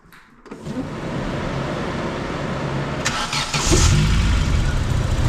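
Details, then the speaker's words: A-reg Vauxhall Nova 1.6 injection that had run badly, after fitting a different replacement sensor: starts promptly, settles, then revs up smoothly with no stumble or misfire; normal revving, revving cleaner after the change. "that seems to be revving cleaner there you go that's made a difference"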